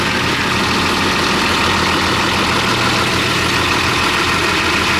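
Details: Heavy equipment diesel idling during a charging-system check: steady, even idle with a strong hiss over the top and no knocks or misses.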